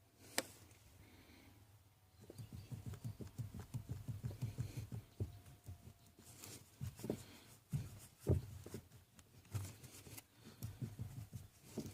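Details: 2012 Toyota Tacoma: dull low thumps, several per second, in bursts over a quiet background; knock inside the steering column, cause not pinned down.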